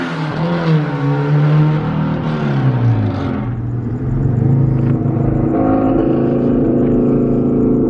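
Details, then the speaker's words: Engine under part throttle, after some fixes: uneven, choppy note that clears up at full throttle; part-throttle misfire, fuel-related cause suspected. "I noticed that it's only doing the like like anything under Full Throttle you go Full Throttle it clears right up but anything under Full Throttle it has that sound to it so I I think it could be something fuel like what you're saying"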